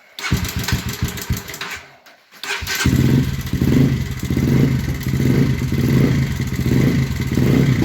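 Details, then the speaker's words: Honda CBR125R with gear selection almost gone: it cranks, catches and idles with a loud, heavy knock; loud mechanical knocking, suspected from the gearbox, possibly rod knock as well, not confirmed. "Yeah. So, as you can hear, she's pretty loud. It's quite quite a loud knocking, but it has got gearbox issues."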